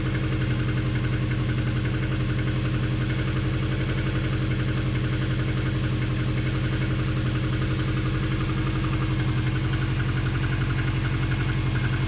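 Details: Engine at steady idle with a regular dull knock about twice a second over the low rumble from the bottom end; suspected piston slap, not confirmed.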